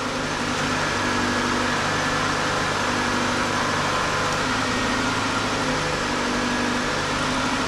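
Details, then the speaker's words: 1993 Ford Escort LX, 1.9 liter 88 hp, start after clutch, flywheel, slave and master cylinder and rear main seal replacement with battery reconnected: steady, slightly high idle, smooth hum, no knocks; computer relearning after being unhooked, idle should come down. "This computer has been unhooked. It's got to relearn itself. It'll come down."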